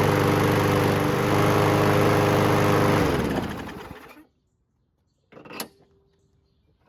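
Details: WeedEater 21" push mower with Briggs & Stratton 500 Series 158cc engine, test run after cleaning the carburetor: holds steady, even speed with no surging, restarts on first pull, then shut off; normal running.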